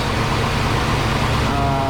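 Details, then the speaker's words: 2005 Lexus LS430, 365,000 miles, engine running with belt cover removed after owner suspected pulley bearing noise: smooth, steady hum with no chirp, squeal or bearing whine; serpentine belt and pulleys sound fine. "old and the pulley might be new so there's no there's no noise there's no squeaking it looks like we're we're good here"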